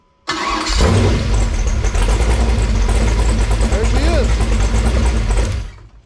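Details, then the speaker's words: Freshly built 496 big-block Chevy V8 with nitrous, on a run stand during break-in: the starter spins it briefly, then it catches into a strong, even, lumpy idle. It sounds healthy. "motor sounds really good and healthy um got uh bugs fixed out of it"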